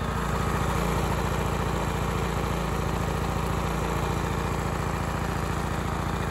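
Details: Honda EX1000 portable suitcase generator running outside without load, choke off, missing correct air filter, before an 800 W oil heater is connected; even low thump at three to four beats a second, steady with no stumble.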